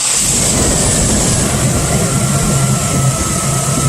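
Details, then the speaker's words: Truck with a vacuum leak, idling steady and smooth after the brake booster vacuum hose is plugged with a socket. This confirms the leak is in the brake booster, which was then replaced. Normal idle. "and now this is what the idle sounds like with the hole plugged"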